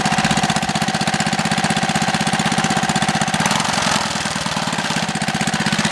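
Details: Small 3HP single-cylinder engine on a Wheel Horse, run after gasket installation to stop oil leaks: quick, even firing beat at steady speed with no knocks or misses; runs healthy.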